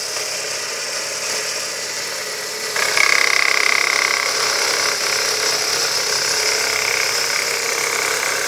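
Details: Ford Zetec Rocam 1.6 at idle: light regular knock about four per second that seems inside the block but comes from a worn idler pulley on the engine's left side; idler pulley knock.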